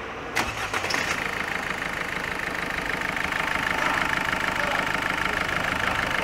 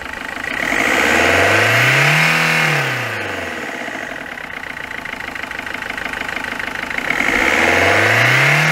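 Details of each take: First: Peugeot 206 1.4 HDi diesel after full service, with prior complaints of stumbling at 110–130 km/h, overheating and injector gurgling: starter whirs briefly, engine catches cleanly and settles into a steady, even idle with no knocks or misses. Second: Peugeot 206 1.4 HDi at 188,988 km, with complaints of stumbling at 110–130 km/h and overheating: rough, regular diesel clatter at idle through two revs, rising and falling with speed. Points to a faulty injector.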